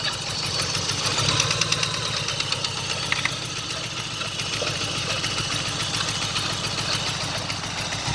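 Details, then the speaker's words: 1995 GSX, first startup after sitting over a year, headers burning off: steady idle with fast even metallic tapping from the back corner of the engine; owner suspects rod knock or spun rod bearings, unconfirmed. "Now from that, what I've heard of that sound, usually people that when it's consistent is rod knock. So I'm curious if that's what it is."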